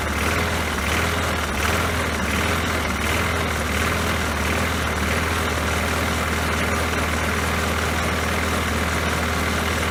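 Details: Poulan Pro mower that had been sitting, after refitting the forgotten throttle spring: steady unbroken single-cylinder putter holding one speed, no surging, misfires or knocking; runs healthy.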